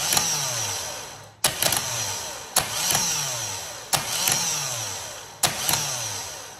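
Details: Vectra starter tested by touching the positive terminal: whirs up in short bursts about every second and a half, winding down between; works only sometimes, likely poor contact from a loose terminal screw.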